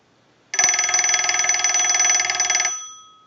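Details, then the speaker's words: Western Electric 202 rotary desk telephone's separate bell box, ring cycle sent from an analyzer: crisp, fast, even ring about two seconds then clean fade; ringer sounds healthy. "we're gonna use the analyzer and we're gonna send a ring cycle so we'll go ahead and do that we're gonna let that go a couple times"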